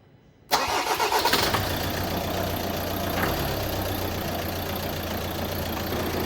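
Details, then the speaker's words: 2016 Ford Transit Custom 2.2 TDCi diesel van, first start after high-pressure fuel pump replacement and fault-code clearing: quick crank, catches straight away, settles into an even, steady idle without misses or knocks; started up really well, normal start and idle. "[Music] see that struck up really well it's running"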